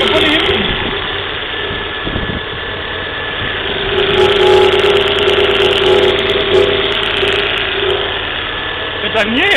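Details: Volvo V40 1.6, cold engine just after start, timing belt recently replaced: busy, fairly regular ticking rattle about four per second over the idle; source unidentified, seems from the middle of the engine.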